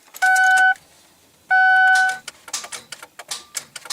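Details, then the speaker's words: 2006 Ford Taurus 3.0 in cold weather, battery and connections tested good: two warning chimes then only scattered light starter solenoid clicks, no cranking; starter failed and replaced. "you can hear the starter trying to click so um with hearing the starter trying to click like that I know it's getting power to that little wire and stuff"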